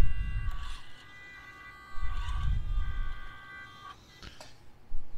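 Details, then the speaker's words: Atlas 6x6 RC crawler with stock ESC, compared against Furitek ESC: motor whine in short stuttering bursts that stall then surge; stock ESC cogging, jerky throttle at low speed. "see how how quick that jumps it's like it's not pulling it's not pulling you can hear it and then it and then it just goes that's the problem with the stock system everybody knows"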